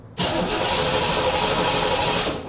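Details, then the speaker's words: 1987 Chevrolet Corvette C4 that sat 25 years, cranking with no fuel pressure at the rail and spark present: starter spins steadily but the engine never catches; the fuel pump sends no fuel and has failed. "Everything is pointing towards a bad fuel pump but I still wanna check for spark."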